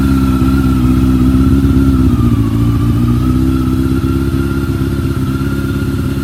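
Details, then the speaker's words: Bimota YB8e motorcycle (probably built around 1995–98), first start-up after setup with choke on and freshly primed carbs: steady but slightly lumpy fast idle that dips and recovers. Carburettors are unbalanced and need synchronising. "is the bike because the carbs no need to be balanced and I need to set up the eggs up unit"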